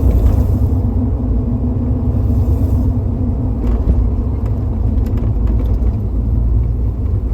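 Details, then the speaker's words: 1989 Jeep Grand Wagoneer with Patriot headers H8600-1, Holley Sniper EFI, Comp Cams 212 kit, Edelbrock Performer RPM intake and 2.5" exhaust, on a low-speed drive. Deep rumble with a soft fluttering matching exhaust pulses, begun after swapping from cast manifolds: suspected header exhaust fluttering noise. "Low speed test drive. Listen for the "fluttering" The "flutter" or "plinking" sound matches the exhaust pulses."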